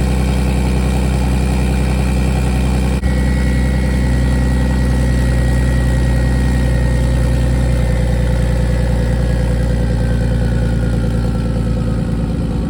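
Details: BMW E46 with turbo M52B28 swap, not started in a few days, cold idle: loud, steady, deep, even beat through open exhaust (no downpipe yet), no knocks or misses; running normally.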